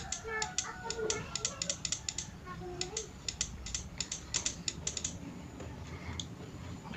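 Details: PORTO 160A inverter MMA welder that turns on then shuts off, relay fed 24 V directly during soft-start circuit diagnosis: crisp, irregular sharp clicks as the relay contacts pull in and release; relay works normally.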